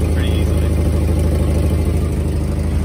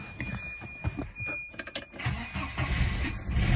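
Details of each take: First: Volvo 240 warmed up at idle, before repair: rapid ticking puffs about three per second from a cracked exhaust leak; to be fixed with high-temperature metal repair paste. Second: Volvo 240 idling after a cracked exhaust leak was repaired with a repair compound cured about 24 hours: catches after brief crank, even low idle, exhaust much tighter, faint remaining noise underneath.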